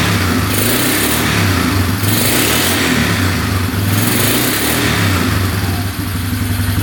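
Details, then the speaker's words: 2011 Polaris Phoenix 200cc ATV after carb work, airbox off: single-cylinder engine pulls cleanly through repeated rev-ups and drops back smoothly with no misfire; healthy running. "sounds pretty good reving out I doing perfectly"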